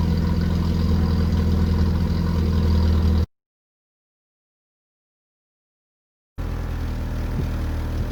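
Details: 1981 VW Rabbit with 1.8 swap, after installing 4-2-1 dual downpipe and thrush muffler to fix a suspected front manifold leak; steady deep idle burble, even pulses with no ticking or puffing between them: normal exhaust note.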